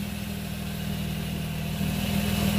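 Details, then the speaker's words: 2005 Nissan Altima at idle after serpentine belt replacement and re-tensioning: smooth, even idle with steady low hum, no squeal or chirp; belt previously screaming, now quiet and healthy. "As you hear, there's no noise, which is good. Before it was screaming."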